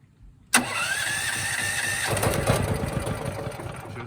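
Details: Firman tri-fuel generator running on natural gas, electric start with the choke on: the starter cranks briefly, the engine catches within a second and settles into an even, slightly rough idle. A clean cold start.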